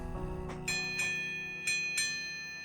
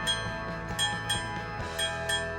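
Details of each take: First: Vintage Chelsea ship's bell clock after overhaul and final hammer-wire adjustment that removed a buzz: clear ringing strokes about once a second with clean sustained tone and no buzz; normal bell strike. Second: Vintage Chelsea ship's bell clock after overhaul: bell strikes ring thin and tinny, lacking full gong body; hammer hitting the gong off, adjusted by bending the hammer wire via the rear access cover.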